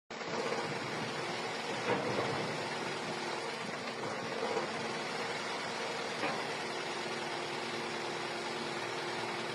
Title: Camry 2.4 engine misfire